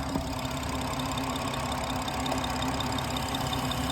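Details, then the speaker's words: 2017 BMW 440i xDrive B58 Gen 1 six-speed manual, idling with oil cap removed before PCV replacement: constant airy hiss from crankcase vacuum pulling the cap down over an uneven low beat, from a torn PCV diaphragm. "Now, I heard a hissing noise. In the video, you'll hear the hissing noise. There's a hissing noise and a medium medium vacuum pulling it down, not letting me l"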